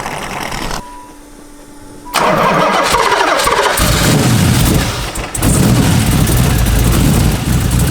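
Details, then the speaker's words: LS1 V8 in a Nissan Z32 with a big cam, first start, fuel nearly empty with a loud fuel pump: starter crank, then catches into a loping, uneven big-cam idle with no mechanical knock. "alright guys so the LSE sounds amazing I'm still happy"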